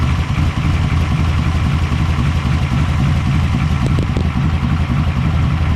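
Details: Generator checked for hurricane prep, key-started via its starter solenoid after the fuel pump primed and it had gas. Settles into a steady, even low rumble at idle with no misses or knocks, so it runs properly.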